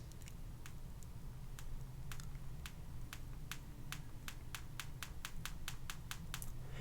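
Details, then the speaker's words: iPhone X pressed with 3D Touch near the bottom-left dock area: sharp dry popping clicks that speed up with repeated presses. The display is suspected to be not fully glued or missing screws, unconfirmed. "can hear that there's some popping going on in this display it's like it's not glued down entirely or maybe there are a couple parts but with missing screws or whatever"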